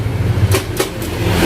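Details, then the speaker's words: Carbureted Honda Beat: starter gives two or three sharp "tek" clicks with no cranking, common after long use; looks like a weak battery but the battery is normal; fix is a CDI change. "Kalau khususnya untuk motor Beat Karbu ataupun Vario Karbu itu kasusnya hampir sama ya. Kalau misalnya udah pemakaian lama itu kadang suka tek kayak gitu bang."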